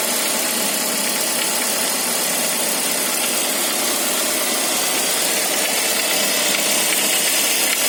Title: Saab 9-5 cold engine strange noise